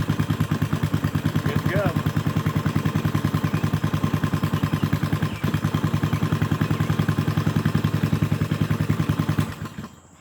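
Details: Briggs & Stratton 5HP go-kart engine after sitting, cleaned carburetor, new fuel, adjusted linkage and mixture, cold started with choke: single-cylinder thumps at a steady, even beat with no misses or knocks, then shuts down; runs healthy.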